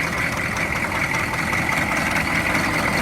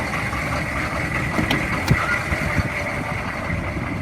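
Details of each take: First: 2002 Chevy 3500 utility truck, 6.5 L diesel, 89,150 original miles, idling: steady heavy diesel idle with a loud, hard clatter over the low rumble; noisy but idles evenly with no misses, something sounds rough in the front. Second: 2002 Chevy 3500 utility truck, 6.5 L diesel, 89,150 original miles: steady diesel idle with even low clatter, loud but smooth, no obvious misses or knocks; normal idle, though something sounded rough in the front.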